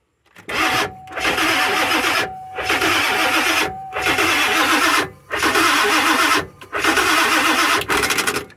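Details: Ford E350 van with 7.3 Powerstroke diesel, long sat after injector O-ring replacement (oil was getting into fuel), with ground/electrical issues and burnt wires: six short one-second cranking bursts, starter spins but engine never catches; weak batteries suspected, not confirmed.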